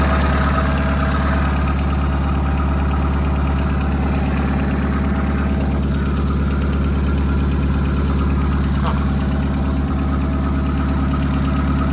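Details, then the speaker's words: 2001 Honda Civic LX donor with blown head gasket, engine overheated, oil and coolant smelling bad; loud idle with a regular lumpy stumble about twice a second; engine misfire, owner suspects bad ignition coils, unconfirmed. "got a Miss okay I'm not doubting that it's got bad coils they're all horrible"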